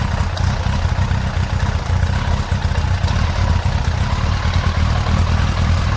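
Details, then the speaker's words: Yamaha XJ900S Diversion at idle during carburettor balancing, after the sync was overcorrected. It has a low, lumpy idle that rises and dips unevenly with slight clatter. Rough idle from carburettor imbalance. "Alright, so I've now overcorrected. You can hear the bike complaining about it actually."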